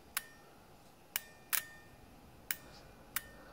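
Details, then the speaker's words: Automotive 4/5-pin relay bench-tested with wires from battery to pins 85 and 86: five sharp, crisp clicks in a quiet room as the coil electromagnet pulls in, showing the coil is good. "The clicking sound you can hear when I touch the white wire to the positive battery terminal is the activation of the electromagnet inside the relay, which in return closes the switch."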